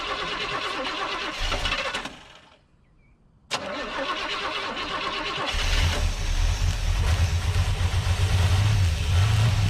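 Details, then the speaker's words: 1972 Chevy C10 crate 350 engine, unrun for at least 8 years, on its first start with HEI plug wires arcing: it catches after a pause and settles into a steady idle with no knocking, smoke or lifter noise, possibly with a cam. Healthy idle. "no knocking no smoke man it just fired right up lifters not making any racket sound like it's got a cam"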